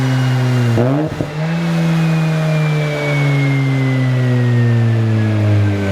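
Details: Mazda FD RX-7 rotary on the dyno during a tune: smooth rising howl with a brief shift dip, then a long clean climb with no misses or stumble; boost super smooth, healthy full-throttle pull.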